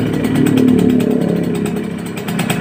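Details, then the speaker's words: Kawasaki Ninja RR two-stroke after a cylinder rebore, sluggish and overheating with a radiator suspected clogged or empty: a fast, buzzy, uneven and harsh engine beat. Rough running from a scored cylinder bore. "dari segi suara mesin agak kasar ya terus dari segi sistem radiator coba lihat"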